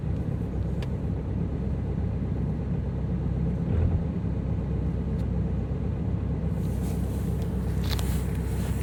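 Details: Ford Focus 2.0 TDCi diesel just after a hard cold start at -18 to -24 °C: low, steady rumble with no misses or knocks; a normal cold idle.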